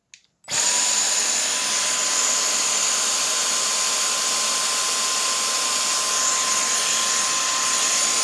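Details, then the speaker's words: Dyson cordless hand vacuum reassembled without screws after cleaning out heavy dust and the air filter: error is gone, but steady high motor whine with thin airy hiss and no low-end pull; weak suction. "error is gone, but there's not much of a suction."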